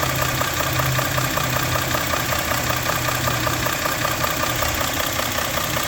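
Idling engine with a regular light knock of about two to three per second over a steady hum; cause not clear.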